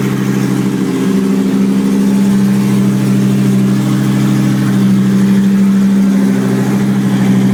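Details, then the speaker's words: 2004 Chevrolet Colorado 3.5L I5 running on a pallet with a standalone harness and no radiator: steady low idle drone with a slightly uneven, lumpy pulse; owner suspects the tape-plugged brake booster vacuum port is partly why it runs rough. "the PVC valve is, well, that's maybe partly why it's not running entirely happy."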